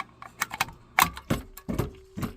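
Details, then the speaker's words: Old community well pump system at about 57 PSI, pressure switch adjusted down: sharp irregular metallic knocks on pump restart, water hammer shaking the check valve back and forth; check valve may not be holding. "the water hammer effect is making the check valve move back and forth back and forth back and forth"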